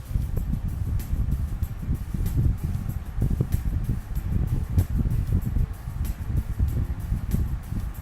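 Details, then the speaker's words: Honeywell 16" double-blade pedestal stand fan (HSF1640), new after assembly, on first speed, camera a few feet away: soft low whoosh of moving air with gentle buffeting, no rattle, tick or hum; quiet, normal operation. "I'm gonna turn it on first the first feed can you tell us how much noise it makes"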